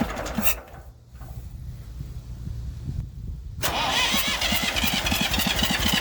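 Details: Massey Ferguson 35 diesel tractor, started with a little "goat juice." Has water leaks and a fuel leak; owner suspects injector copper sealing washers. A few seconds of cranking, then catches and settles into a steady, even idle clatter: normal idle.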